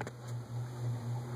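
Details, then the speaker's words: Lasko-made Sears Turn of the Century ceiling fan on high speed: steady low electrical hum at one pitch in a quiet room; 60-cycle motor hum persists despite vibration-isolating material everywhere, owner suspects resonance, source unconfirmed. "hum's louder now than everything I can do eliminate I put vibration isolating material everywhere and uh it's just going to be there"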